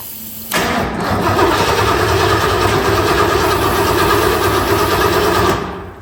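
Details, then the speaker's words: 1966 Lincoln Continental unstarted for over 2 years, cranked on carb cleaner: about five seconds of uneven cranking at roughly three turns a second with no pops. It spins but won't fire; no spark suspected, not yet confirmed. "maybe not does not seem like we getting spark of any kind so we're just going to pull a quick plug"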